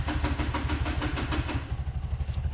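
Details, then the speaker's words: Bajaj CNG BS6 single-plug engine after idle cable adjustment: steady, even single-cylinder putter with no knocks or misses; idle now holds correctly with no sensor fitted. "ಆ ಗಾಡಿ ಹೈಡ್ಲಿಂಗಲ್ಲಿ ಇದೆ, ಏನೂ ಮಾಡಿಲ್ಲ, ಯಾವುದು sensor ಹಾಕಿಲ್ಲ, ಏನೂ ಹಾಕಿಲ್ಲ. ಹೈಡ್ಲಿಂಗ್ ಕರೆಕ್ಟಾಗಿ ನಿಂತ್ಕೊಳ್ತಾ ಇದೆ. ಅಣ್ಣ ಹಂಗಿದೆ, ಚೆನ್ನಾಗಿದೆ."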